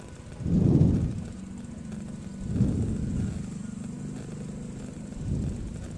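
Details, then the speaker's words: Yamaha NMAX scooter that would not start on the starter, now starting after replacing a blown fuse; low soft engine putter runs steadily with a few louder swells; normal running. "Coba kita starter Apakah nyala mp3wifi hai hai Hi Ho ternyata nyala Desya hampir pengamen ternyata cuman masalah sikring Yes"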